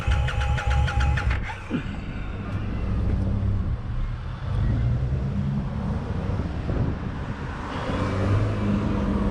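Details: Brand new Indian Scout Bobber, first problem on the bike: brief burst of rapid cranking clatter, then only a low rumble with street noise; the engine doesn't catch cleanly, a hard start.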